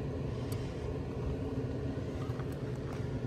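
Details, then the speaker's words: 2017 Heatmaster SS G100S outdoor wood boiler after fan clean-out, run on cold start to test, blowing some fly ash. The draft fan gives a steady low rumbling whoosh with no knocking, scraping or wobble; smooth and healthy. "So I'm going to turn it on. And I'm going to hit cold start just because I want to run the fan for a little bit."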